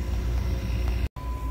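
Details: Geothermal flow center circulating pumps, dual pumps on a 10 amp fused L2 controlled by CR2, during pump replacement with loop being bled: steady low hum, even apart from a brief cutout; pumps running normally.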